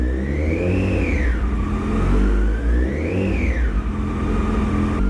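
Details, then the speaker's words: 2008 Yamaha FZ1 after oil/water pump and clutch replacement, warming at idle: thin whine over idle, pitch rising and falling in slow waves; noise quieter once warm, unclear whether normal, cause unresolved. "That's just weird that, you know, the noise gets quieter once it warms up."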